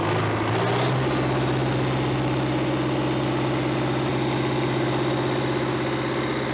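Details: 1970s Cat D330C 4-cylinder diesel generator set (90 kW standby), sat 10+ years, at wide-open throttle with no load, coolant not yet warm: steady strong drone, no knocks or misses, slight smoke; small coolant leak; normal high idle.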